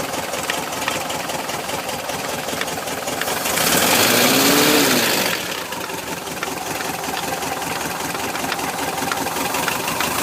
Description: My 1973 VW Bus started making this strange knock and I can't figure it out. It does it when it's both cold and hot. Sounds like it is right around the distributor.